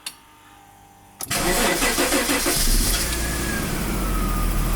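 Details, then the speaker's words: 1991 Daimler XJ40 (Jaguar) after breaking down on the highway: starter churns at about three pulses a second for a couple of seconds before the engine fires, taking longer than usual; it then responds to throttle. Cause suspected, not confirmed. "Yeah, it did. It did take a little bit longer to crank than it usually does, but it did fire into life, and It does respond to throttle input."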